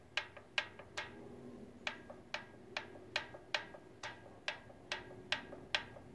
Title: Bevel Gear Noise? 06 Vulcan Nomad 1600